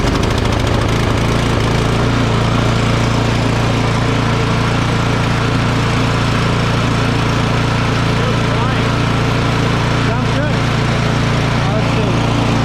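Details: Craftsman 24-inch electric-start snow blower that had sat unused and would not start due to a clogged carburetor. After the fix, it starts without choke and the small single-cylinder engine runs steady and even, with no sputter or surging. Normal running.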